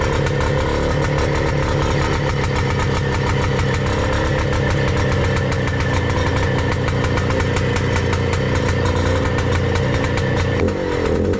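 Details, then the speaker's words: Bultaco Alpina 350 two-stroke after the condenser replacement, with new carb and tank: a crisp, even idle with no misses. Rubbers are fitted to the cylinder fins; running healthy before the test ride. "okay folks hopefully you can hear me over this racket actually quite a bit quieter i put the rubbers on the um on the fins that should make it a little bit better"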